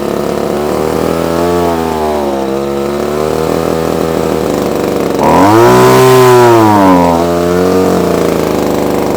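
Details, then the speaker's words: Probably early-1980s Komatsu Zenoah Pro 26 two-stroke strimmer, off choke after hard start; revs hunt up and down, surging, rough running attributed to worn carburettor diaphragm, no tuning screws visible. "oh oh well it's doing something so it is actually doing something what it wants it wants a bit of a tune now"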